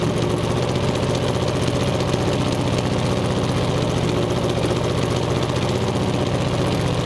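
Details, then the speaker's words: Twin-turbo 427 V8 on dyno: loud uneven rumbling with ragged stumbling beat instead of smooth idle; misfire from failed ignition coils, four bad coils found, cause of failure unknown. "we don't know why three coils failed in a row but it's fine now unless those coils all were already on the way out"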